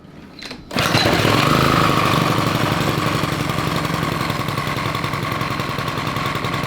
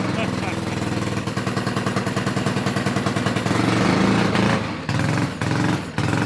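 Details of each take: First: Honda 5 hp overhead-cam engine on a yard kart: it catches after a short pull and runs steady and even with no misses, though the fuel pump is leaking and spraying fuel while it runs. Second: Honda 5HP overhead-cam engine on yard go kart, after carburetor cleaning: revs up and pulls, but sags and drops out each time throttle closes; governor or carburetor linkage suspected, unconfirmed. Engine will not idle.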